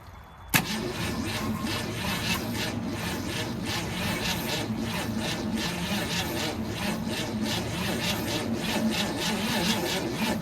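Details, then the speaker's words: 1964 Ford Falcon wagon, 46 years sitting, cranked again after brake cleaner failed: sluggish, labored cranking with slow, uneven compression beats and no catch; owner wonders about battery; weak starter. "Turning over pretty slow. I wonder if I put a little more juice to this battery here."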